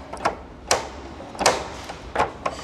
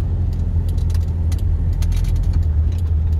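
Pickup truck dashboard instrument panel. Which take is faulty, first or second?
first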